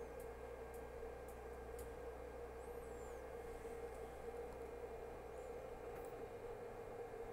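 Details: Artillery Hornet 3D printer with TMC drivers printing, bed 70 °C, nozzle 210 °C: only a soft steady fan hiss, mainly the rear case fan, faint mid hum, no stepper whine or clatter; quiet normal printing.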